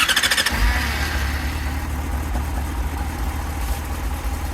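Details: Yamaha motorcycle after battery charging diagnosis and battery replacement, test start before reassembly: half a second of quick cranking, then the engine catches and settles into a steady, even run. It starts cleanly.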